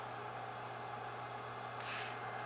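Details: Yongnuo YN600 LED light's original cooling fan gives a constant airy whoosh with a steady low hum that the housing amplifies; loud cooling fan noise, before swapping to a low-noise fan.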